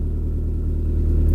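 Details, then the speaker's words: YB Cosworth turbo engine in a MK1 Ford Escort, Bosch Motorsport pump at 140 psi, first run in 5 weeks after an under-bonnet fuel leak repair: steady, even idle at 1,000 rpm, cold oil, good oil pressure, no boost. Normal idle. "We got a constant fuel pressure ticking over at 1,000 revs. There's no temp in the oil yet, but we got plenty of oil pressure."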